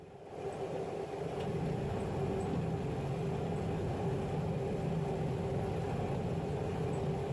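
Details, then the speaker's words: Pickup at speed, rough steady growl and drone from rear differential; pinion not torqued (spec ~200 ft-lb), no limited slip, oil leaking out back, worn pinion bearings and seats; grinding gone after replacement. "was leaking oil out the back, and it made a horrible grinding sound. And again, I'll show some pictures of the wear that I was seeing on the pinion bearings and the pinion seats where the bearings actually seal up against."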